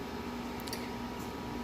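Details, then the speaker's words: Fieldpiece VP85 vacuum pump after reconnecting a loose internal harness, power applied; clicks and a faint high-pitched whine inside, but the motor never runs up, so the pump fails to start. "So yeah, you can hear it click and like it wants to run, which obviously the camera's not going to pick that up, but we can hear almost like a high-pitched whining noise inside, but it's not doing anything now."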